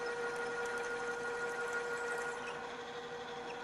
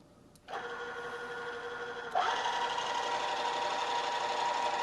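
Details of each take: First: Drill, re-run at a lower spindle speed after chattering too fast: steady, even hum with a constant tone and no chatter or squeal, the bit now cutting smoothly. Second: Drill press drilling toward a 1-inch hole by stepping up in size: harsh, fast buzzing chatter over the spindle hum as the bit deflects and jumps around the hole, from running too fast; lower speed cuts smoothly.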